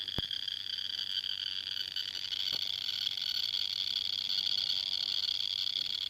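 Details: Quad tail light/buzzer: light works fine, but the buzzer gives a thin, steady high-pitched whine even though it is not plugged in; odd buzzer sound, cause not yet found.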